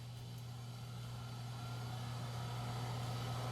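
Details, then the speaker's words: AST Adventure 8100p PC with 16 MB RAM, first power-up test during reassembly, uncleaned power supply sitting on top: a steady low fan hum with a faint whir, even and smooth with no rattle or grinding. The fan is much quieter than before; normal operation. "And the fan actually seems to be much quieter than it was before."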